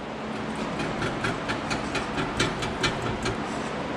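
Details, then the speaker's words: Pontiac G8 GT 6.0L V8 with Hooker Maxflow mufflers, on start-up, worse when cold: sharp metallic taps about two a second over a low idling exhaust rumble, from broken internal muffler baffles rattling. "don't know if you can hear it but when i crank the car it has a hell of rattle in it especially when it's cold you can hear this muffler particularly rattles"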